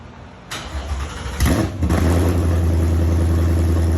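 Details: Ford Coyote V8 swapped into a Fox body Mustang, first start after the engine sat three-plus years, with a sensor plugged back in and crank position sensor codes cleared: brief crank, then a steady deep even idle with no misses or knocks; normal start.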